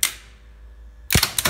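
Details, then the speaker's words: DAKA elevator machine room, building from 1962, elevators modified 1986: sharp brake clack, pause, solid thump and motor straight up to full speed; normal brake release and start, unlike the other lift whose brake stays closed too long. "Motor starts at full speed and everything is as it suppose to be."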